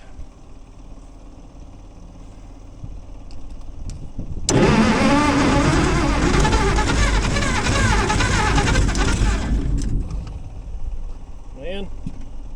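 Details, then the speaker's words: Gleaner combine six-cylinder gas engine, cold start on choke after a carb rebuild and two straightened pushrods; the old tank still holds some sludge. Runs about five seconds roughly, then dies; not firing on all six, misfire. "got something don't sound like it's firing on all six but it's firing on something"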